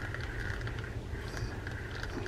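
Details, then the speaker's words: Shakespeare Cirrus reel, slow crank by hand: gritty uneven clicking from inside the reel caused by a bad gear in the anti-reverse. "I like these reels a lot this this one I'm not going to like because it's got a gear issue in here you can kind of hear"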